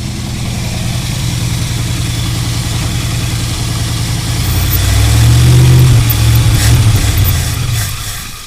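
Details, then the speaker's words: 1984 Dodge Power Ram whose distributor, coil, ignition box, carburettor and fuel system have been replaced: rough, uneven idle at about four pulses a second, one surge, then it fades and dies with fuel present. Owner suspects lack of fuel plus an electrical fault; unsolved. "it's like it's just dying out but there's fuel down there"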